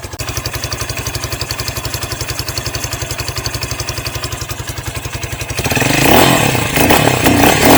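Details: New 2023 Hawk X 250 with the counterbalanced single-cylinder engine, first start in neutral with choke on and idle raised slightly: even thump about four beats a second, steady and clean before a throttle blip; healthy.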